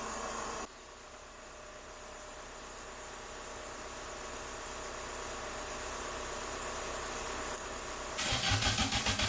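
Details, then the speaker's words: MK2 VW Golf GTI rebuilt engine, first start after 10 years, cranked with van running as battery support: eight seconds of steady cranking, then a short burst of uneven firing that won't idle; owner suspects distributor/cap timing; oil pressure light flashing. "I know that ain't a lot, but it fired. Yes, this is the furthest we've got so far."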